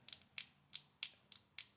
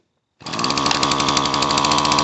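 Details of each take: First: Chainsaw Zama C1Q carburetor that floods the engine and wets the plug. Flexing the metering diaphragm gives six sharp, dry crackles about every third of a second. Hardened, it stays stiff and holds the needle down: a bad diaphragm. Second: Dolmar chainsaw, two-stroke, ZAMA C1Q carb after rebuild kit fixed flooding: steady high buzzing with slightly ragged beat; starts and keeps running, carburetor not yet adjusted.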